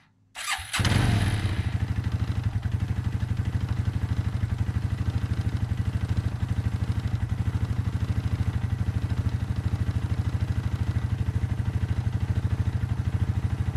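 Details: 1994 Suzuki Quadrunner 250 4x4 ATV after carb rebuild and fresh oil change with three quarts of Suzuki four-stroke oil, run to check oil level: catches after short crank, settles to steady even single-cylinder thump about three pops a second; normal idle.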